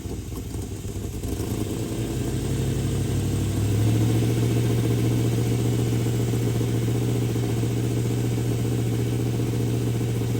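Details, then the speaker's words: Engine revs smoothly from idle to about 1,700 rpm, simulated highway cruise, and holds a steady even hum; vacuum advance hooked up, total timing 47° versus 30° without it; clean and healthy. "That's about cruising speed going down the highway around 1,700 RPM with my vacuum advance hooked up adds to the total timing."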